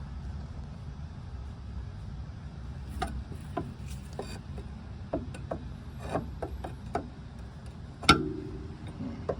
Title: W126 over control arm squeak ￼and creaking noise.